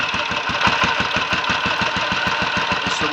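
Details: Royal Enfield 500 single (Asbo 34), rebuilt with ported head, cylinder barrel shortened 2 mm, Hitchcock's 9:1 piston, timing set by strobe; third start, about 10–15 minutes running since rebuild: even lively thump, no rattles, leaks or smoke, plenty of compression; normal idle.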